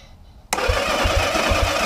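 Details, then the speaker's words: 1972 Honda CB450 under restoration, first electrical power-up, no fuel in it: starter spins the engine briskly and evenly with steady low compression pulses and no grinding; healthy starter cranking. "Well, that's got to sound good. Okay, well, there's no fuel in it."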